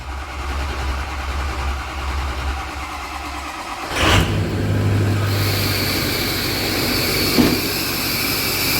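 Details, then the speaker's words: 2005 Ford 6.0 Powerstroke after new turbo and uppipes: starter cranks, diesel catches at once and settles into steady even idle; this side of the exhaust is quiet with no hiss or puffing, hissing only on the other side; normal idle. "this side's quiet. Nothing over here. Quiet."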